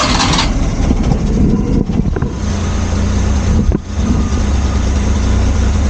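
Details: Suzuki Multicab after carburetor refitted: brief cranking, then catches and settles into steady, even low idle with no misses or stumbling.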